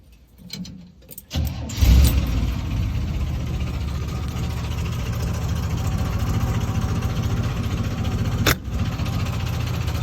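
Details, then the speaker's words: 1971 Jeep CJ5 with Dauntless (Buick odd-fire) V6, just bought: cranks and catches, loud uneven idle with tractor-like clinking clank; owner unsure if normal, source unknown. "Kind of sounds like a tractor to me."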